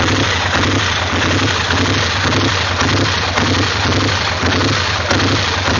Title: 850 rough idle